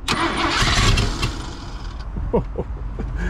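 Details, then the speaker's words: 1987 Ford F150 just converted from EFI to carburetor and HEI distributor, first start: rough catch fading into uneven stumble with sputters and a pop, never settling to idle; owner says many vacuum leaks. "come on baby I got a bunch of vacuum leaks like crazy"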